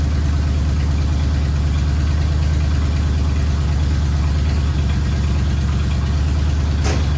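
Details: 1979 Ford F100 V8, sat ten years, idling after cleaned carburetor installed: deep, steady burble about three pulses a second, holding even without stumbling; normal idle.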